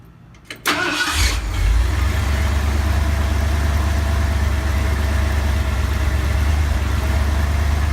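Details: 1970 Ford F250 V8 started after carburetor cleaning and fuel priming, previously stalling at stops: fires quickly into a fast steady idle with no drop to a slow lope; high idle traced to corroded distributor cap terminals.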